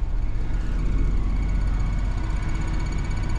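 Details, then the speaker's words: Crete Carrier truck diesel just auto-started by Opti-Idle after the cab fan is switched on for cooling, beeping as it starts, about 108 degrees outside: steady even low rumble, no knocks or misses; normal healthy idle. "it'll start the truck because it knows I want to cool down in here so watch let's do that real quick and then you'll hear the truck make a beeping noise and it just started"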